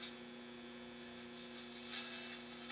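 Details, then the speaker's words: Philco 39-30 tube radio, first power-up after recapping, speaker connected, manual AM tuning, B+ about 290 V on a low variac: quiet constant low hum from speaker with some feedback, no station audible; mains hum, source not found. "so we've got hum yikes some feedback"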